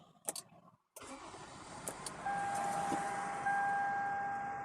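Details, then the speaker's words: Toyota Avalon: after traction control kicked on while driving and the check engine light began blinking, the engine cranks into an uneven, slightly shaky idle with a faint whine; owner suspects a misfire from spark plugs or an igniter, unconfirmed. "the car is vibrating right now at the moment it's vibrating see that it's a slight vibration going on so there's a good chance there's probably a misfire"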